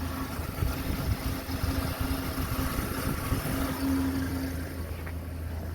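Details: 2003 Dodge Ram V10 8-liter idling, hood open, after belt tensioner pulley replacement that cured a cold-start chirp: even idle with soft belt hum underneath, no chirping; accessory drive healthy.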